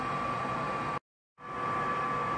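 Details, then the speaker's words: Bradford White direct-vent water heater with a 3-inch exhaust, heard indoors: the vent blower makes a steady, soft, even rushing hum with a faint tone. It runs quietly and normally, though the outside vent is noisy. "a bradford and white or bradford white water heater and it's on right now it seems pretty uh quiet right now"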